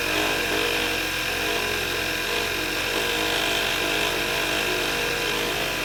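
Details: VW MK6 engine in the morning after starting: it sounds fine, then a harsh, gritty whirr with a steady high whine starts over the engine. Cause was a failing alternator; replacing it removed the noise.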